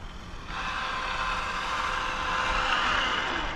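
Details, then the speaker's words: Cobra 5 Ace RC car at full speed, reading 172 on a cool day: steady high electric whine holds even with no stutter, cogging or cutting out; motor and ESC running very smoothly. "Very, very smooth, man. Cobra 5, very, very smooth."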